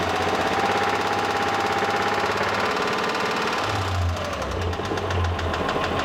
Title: Pajero III 6G74 3.5 л GDI - стук двигателя ч.2